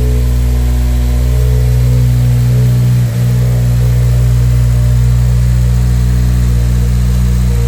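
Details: Honda Civic Si (8th gen FG2/FA5) with freshly swapped JDM K24A RBB 2.4 four-cylinder on the factory 2.0 tune, no base map yet: smooth steady idle, even low hum, no knocks or stumbles; running normally.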